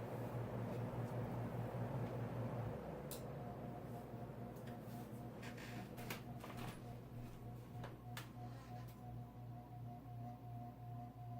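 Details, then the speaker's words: Codep 48-inch cast-iron spinner ceiling fan on medium speed: quiet hum with buzzy vibration that settles when the canopy is steadied; the canopy was rattling, not normal. "I think that vibration is from the canopy. Hold up here. Yeah, it is. That's not what it normally sounds like."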